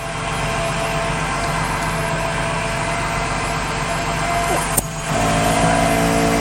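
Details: Ford Transit van, engine idling, onboard ARB air compressor switched on to inflate tires: steady engine hum, then the compressor cuts in with an even, higher motor drone and no knocking or labouring; normal compressor operation.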